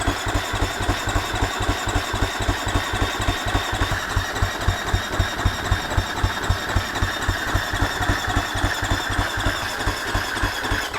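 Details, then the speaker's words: Husqvarna FC250 that quit after a ride, fuel pump plugged back in: steady starter cranking about four beats a second for eleven seconds, no firing; about 10 V measured at pump instead of 12, fuel pump later confirmed bad and replaced. "right nothing okay so that wasn't it but it's okay we're going to start testing the voltage let's see what is happening I should be getting around 12 volts at the fuel pump"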